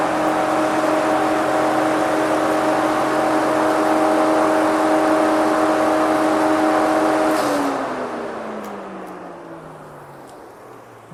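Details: Jeep Willys 1962 with an upgraded electric cooling fan. The taller fan is mounted outside because there was no room inside. It gives a steady, even whir with a clean tone, then winds down smoothly when switched off; normal fan operation.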